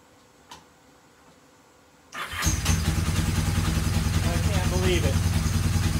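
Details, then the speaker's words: Free, rusty Kawasaki KZ750 revived, fuel just hooked to the carburetors: quiet, then a quick crank and it fires straight up into a fast, even idle with no misses or knocks. "holy crap this rust bucket this rust bucket POS yes started up actually doesn't sound terrible you know"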